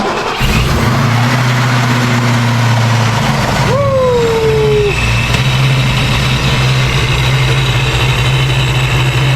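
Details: 1990 Ford Mustang Foxbody convertible V8, first startup after ProCharger supercharger install: catches and settles to a strong even idle, then a blip brings a rising and falling blower whine; running healthy.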